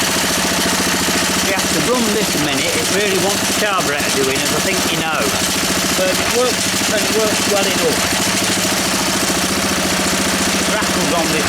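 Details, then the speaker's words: Honda E300 generator engine running: steady even putter with fast regular firing beat, no knocks or misses; engine runs, awaiting a new spark plug. "but we've got an engine that works you see and this is the big deal this year"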